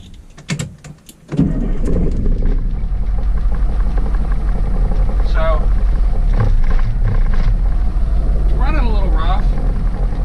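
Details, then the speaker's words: 1977 Wanderlodge FC33 diesel bus, cold start at about 50°F without ether, run button held down because shutdown solenoid lacks 12 V; loud, lumpy rough cold idle that gradually evens out. "So, as long as I hold that button down to run, it does idle. Boy, that's a rough idle. There it goes. It's evening out."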